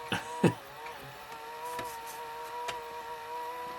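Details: Pye VRD-300L VCR with 1992 Daewoo chassis, rewinding a tape near its end: a thin, steady whine in several fixed tones over faint clatter, the belt slipping on its pulley, which is making the noise.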